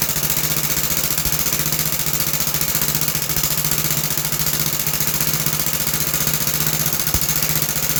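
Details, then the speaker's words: About 66-year-old 1960s English-made Suffolk single-cylinder engine after a carburetor clean and a new plug wire, started on choke. A steady, even thump at about four beats a second with no misses or knocks. Runs normally. "So my plan work to clean the car and the plug wire works very good and um overall it sound good."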